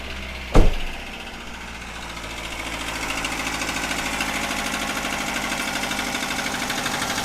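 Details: Daihatsu Xenia 1300cc engine run out of oil through an unrepaired leak after an oil change: a rough idle with rapid metallic knocking. The damage is severe and the engine must be stripped.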